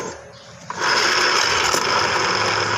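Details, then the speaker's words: Suzuki Spin scooter CVT: with the clutch bell fitted, a coarse rasping growl runs steadily under the drive, smooth without it; worn, wobbly neck of the centrifugal clutch assembly found as the cause, part not yet replaced. "nah ini permasalahan utama bahwa spin yang ngorok itu ada di leher lari yang sebelah sini ya"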